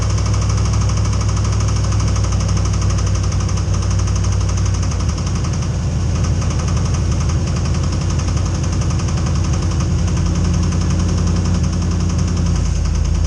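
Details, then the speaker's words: Diesel truck started after sitting about a year: heavy low rumble with rapid, steady knocking just after start-up that then fades; engine knock of unknown cause. "Hear that knocking? Well, now it's gone, but it's there, trust me."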